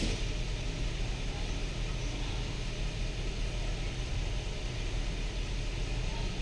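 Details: Nissan Patrol (Japanese model) idling with misfire, stalls when braking or slowing; scan tool live data shows three cylinders misfiring; faint uneven stumble in exhaust beat, attributed to faulty ignition coils/plugs.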